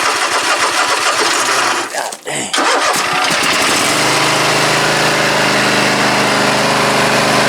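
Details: Husqvarna Z254 mower after repair with a used pulley and the belt refitted: cranks, catches after a brief stumble with some throttle, then holds a steady even drone with no knocks or belt squeal; running normally.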